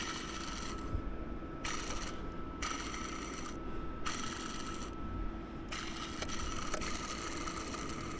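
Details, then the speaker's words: Extended Sprinter van engine, pulley spun by hand: gritty, ratcheting rasp from the worn belt tensioner pulley bearing. It makes noise when spinning slowly but not fast; the water pump has no play. "Listen to this. You hear that bearing sound? It's supposed to be smooth."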